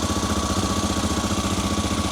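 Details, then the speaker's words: Honda Africa Twin after rebuild, with the rear cylinder temporarily reconnected: an even, lumpy idle with no dropped beats, both cylinders firing. This was temporary, running on fuel forced into the carb. "That sounds nice. And that is definitely both cylinders. Oh, I am very pleased."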